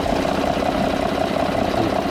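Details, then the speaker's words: 2013 Ford F-150 3.5L EcoBoost at idle, after fixing a high-pressure fuel pump that rattled because too-long bolts bottomed out: only a soft, even, normal mechanical ticking and no loud rattle; normal idle. "so that's why it was noisy but you could tell that that rattling went away so all you hear is just the normal function of the engine the ticking of this all that is normal that's what i expect to hear"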